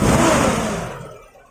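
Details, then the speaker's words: Suzuki Katana carburetor idle set near the ideal 700 rpm (rising to 1000 with AC on): a quick blip falls away smoothly to a calm idle with no stumble or popping; normal rev response, tuned by ear to what the engine wants. "Dan bisa didengarkan mesinnya itu gimana, pasnya itu gimana, itu selera."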